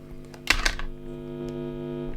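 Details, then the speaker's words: Generic wall-wart adapter held near the guitar lead tip, heard through the amp: steady low buzz with even overtones after a couple of clicks; power supply hum from the adapter and its wires. "so here's a generic War Walk the number one wall here generic War anywhere near the tip yeah you can hear how noisy that is so a lot of noise coming from the wall and from the wires as well"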